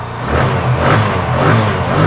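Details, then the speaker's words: TVS Apache RTR after a carburettor pickup and winter starting fix, tank not yet fitted: engine picks up cleanly on each throttle blip, revving up and falling back smoothly without stumbling; pickup now good. "গাড়িটাকে দেখো start করছি দেখো পিকাপও কিন্তু disturb করে না"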